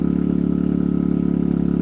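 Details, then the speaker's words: Generator powering a replacement Sungold 3000W inverter charger after repeated overload faults, 60 on each leg. An even, steady hum with a fast regular pulse and no surging or knocking holds the charging load. It's working; normal running under load. "There we go. It's working."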